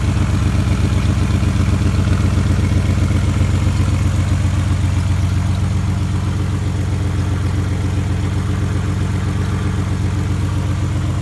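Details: 1991 Nissan Maxima petrol engine idling with a steady, quick ticking knock, heard after an oil and filter change; owner unsure whether injector tick or rod knock.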